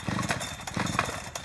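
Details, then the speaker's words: Chainsaw deliberately flooded by pulling with choke out: quick rough pull-start bursts with one weak pop and no run-up, gasoline smell; flooded engine. "And if he continues to pull that, at that point now, I've got that saw flooded. I can already smell the gasoline."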